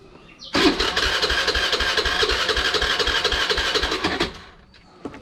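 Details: Honda Dio scooter with a starting problem, started with the choke on: starter turns the engine in even beats about four a second for nearly four seconds, never firing; no start from poor spark plug cap contact.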